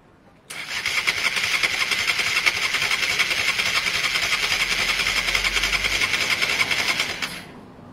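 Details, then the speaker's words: Honda Varadero 125 on stand with a bit of choke, cranked gently during spark-issue diagnosis: rapid regular cranking, almost catching but never firing; not using fuel, battery dying; carb clean still pending. "it really did sound like it was on its way it's not using any fuel at all the pipe is still fall"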